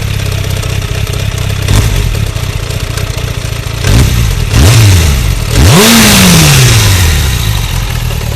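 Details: 2004 600 Bandit motorcycle at standstill, about 100 km after an oil change, manifold repair, brake fluid and fork work. A rough idle with a loose irregular clatter underneath, then throttle blips rising and falling; an abnormal engine noise of unclear source.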